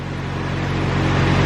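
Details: Car just fitted with nitrous and new spark plugs. Steady, even low hum with a smooth firing note and audible intake suction, no knocks or misses; normal idle.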